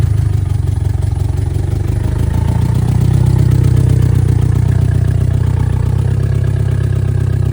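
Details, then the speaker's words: Rough idle on a VW Mk2 Scirocco 16v with CIS fuel injection, first drive after 20 years abandoned; no exhaust fitted, oxygen sensors present, dripping a little gas; loud raw open-pipe rumble with uneven lumpy beat that hunts and won't settle. "Um I'm not really sure what it's doing. It's kind of all over the place, so"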